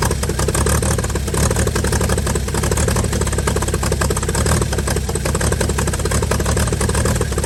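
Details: 1955 Chevy inline six truck revived after sitting about 30 years, used starter, carburetor filled and leaking, just started: steady even low rumble, smooth regular firing beat, no knocks or misses; normal idle.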